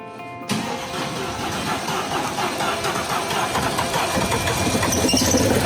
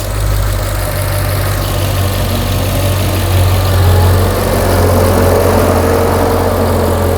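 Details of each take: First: Mercedes-Benz S63 AMG towed in: engine catches and settles into an uneven, lumpy, stumbling idle; left bank misfire, no combustion on the left side responding to ignition. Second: Mercedes S63 AMG V8 after partial engine rebuild for left-bank misfire, first start: initial noise was oil filling the lifters, then a deep, even rumble and smooth steady idle with no tapping or misses; normal idle.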